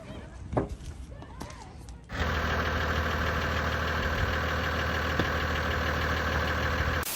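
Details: Toyota Land Cruiser HZJ78 Troopy diesel, after finding a fuel leak at the hose to the injection pump and priming with the hand pump: after handling noise it fires up and settles into a steady, even idle with no stumbling.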